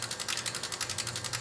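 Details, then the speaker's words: BMW X5, engine not running, with an Arduino simulating the 60-2 crank reluctor signal at 227 Hz and a two-pulse generator giving about 800 rpm on the tach. Crisp, regular injector ticking about ten times a second shows the DME is firing the injectors normally. "now I'm going to turn my pulse generator on and you can hear the you can hear the uh injectors kicking in so that tells me that the signal is getting releas the injectors"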